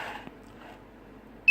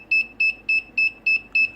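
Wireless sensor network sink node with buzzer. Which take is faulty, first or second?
second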